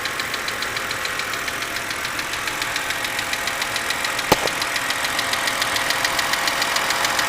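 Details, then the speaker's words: 2006 BMW 330i with an intermittent engine knock: fast, fairly regular light ticking over the engine note, about two per second. Loudest on the driver's side toward the front; always present at startup and lasting random durations. Cause unclear. "okay this is the uh intermittent engine noise that i'm hearing and uh as you can tell it's uh pretty prominent right now"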